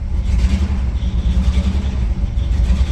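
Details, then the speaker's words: Vintage petrol sports car on a cold start with a misfire, needing some throttle to stay running: idling unevenly as the low rumble stumbles and dips irregularly once the foot is off the throttle; the misfire also causes unburnt-fuel smoke. "So it does still idle. It's just a little iffy because of the misfire."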